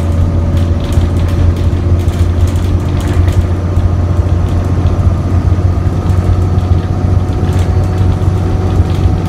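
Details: ADL Enviro 400 bus, Euro 4, ZF Ecomat gearbox, new 11/2007 (Go-Ahead London E93), on the road: deep steady diesel drone with a rattly body and no rise in pitch, pulling like a slug; appears stuck in limp mode, cause unconfirmed.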